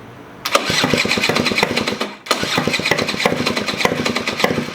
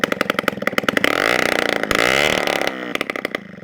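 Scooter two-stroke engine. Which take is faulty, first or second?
first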